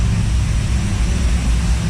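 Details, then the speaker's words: 1955 Chevy carbureted V8 first run after rebuild, cam break-in: loud lumpy burbling idle, smells rich with slight black smoke; owner plans more timing and maybe more fuel pressure (6 psi); no knock. Rich-running idle. "It does smell a little fat, so I might try to give it a little bit more timing."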